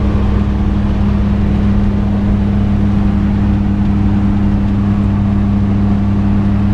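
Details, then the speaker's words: Toyota Dyna small truck driving at cruise, window open: steady low drone and constant hum over the engine with heavy vibration; owner unsure whether gearbox, universal joint, wheel bearing or just exhaust noise; speedometer not working. "not sure if we've got gearbox noise universal noise or uh wheel bearing noise not 100 certain that said it could just be exhaust noise got a great deal of vibration and carry on in it"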